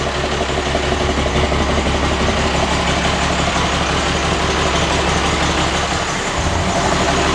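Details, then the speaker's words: Cummins diesel flatbed with dual stacks, first run in three to four years: deep, regular idle pulsing about three beats a second, even and knock-free; healthy engine with throaty exhaust note. "that dual stack sound that's what i was after"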